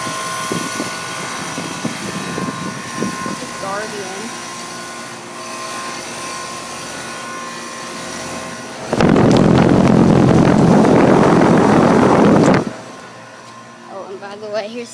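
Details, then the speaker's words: 5-year-old Guardian air conditioner outdoor condenser right after switching on, hot humid day: steady low hum with an even rushing burst midway, then settling; compressor and condenser sound normal. "that's what it sounds like right after it comes on"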